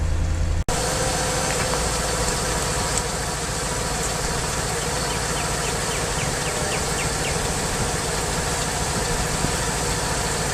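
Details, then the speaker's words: 2003 Mercedes S55 AMG revved to about 2000 rpm, microphone by the front right corner: a constant hydraulic whine over the engine. Cause is a failed Active Body Control/power steering pulsation damper, leaking oil from a weld, awaiting replacement. "once the pulsation damper goes bad when you start the car up to 2000 rpm you can hear like a whining sound which is a hydraulic vibration because the damper isn't working anymore"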